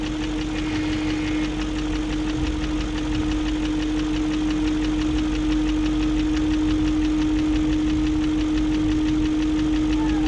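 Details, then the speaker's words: 2001 BMW E38 740i at idle after Vanos units rebuilt with Beisan kits, Vanos distributors and intake cam-end gaskets replaced: light even ticking about three per second over smooth idle with steady whine; lifters checked, spark plugs tight, top-end tick cause unknown. "and i still have that ticking sound i checked all the lifters i have redone the bannos i replaced the vanos distributors"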